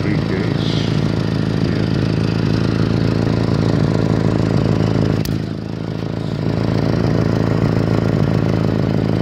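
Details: 1989 Honda Civic petrol engine idling with a raspy, uneven puffing drone from a leak at the center exhaust pipe: exhaust leak.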